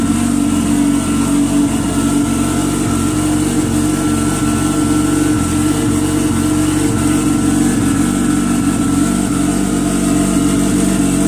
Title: GPSHO Comp Turbo Watercraft start and idle after rebuild